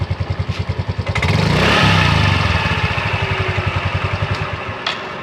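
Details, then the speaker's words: Yamaha Mio M3 scooter with a rough final-drive (gardan) growl heard when ridden; the engine pulses and revs, then a low rough growl under the exhaust beat. It is checked by spinning the wheel. "ini terdengar suara ngorok ya kalau diajak jalan dengan suara ngorok ya"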